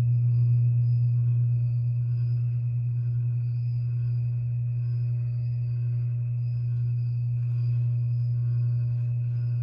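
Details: 52-inch Harbor Breeze Lakeside II ceiling fan, polished brass, before restoration, stuck on low on all three speeds: the failed capacitor is cracked and slightly melted. Low steady drone under a quiet fan, unchanging pitch; capacitor to be replaced.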